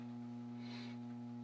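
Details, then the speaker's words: Furnace/AC blower motor powered but jammed: the blower wheel came loose, is out of alignment and hits the metal, so the motor hums steadily without spinning and starts burning out, with a burning smell. "so I'm going to push this now it's trying to turn on the motor you just hear that humming noise the motor's getting electricity but it can't Spin"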